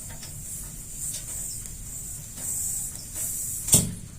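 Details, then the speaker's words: LPG regulator feeding a gas water heater, being purged after fitting, with the hose pulled off: a steady high hiss with surges and a sharp click near the end. Gas rushes out, and the full flow can make the regulator's excess-flow ball lock. "Kalau tidak berhasil, kalau terlalu lama, di purging seperti ini, dingowoskan. Ya ini yang saya bilang trik berbahaya, tetapi saya paling sering dapat duit di sini."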